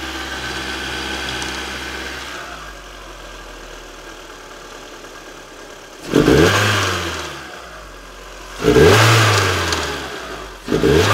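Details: Astra GTE C20LET turbo petrol engine revved six times with rough knocking bursts; owner unsure of source, suspects cone filter or inlet, possibly ICV clicking at idle.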